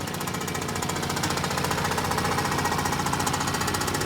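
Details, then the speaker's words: Motorcycle running with its engine oil fully drained after a Superkule oil additive treatment: hard, fast clatter of about four beats a second over the exhaust, loud mechanical rattle; running with no oil. "Ano pa rin eh? Ito lang maingay. Walang langis."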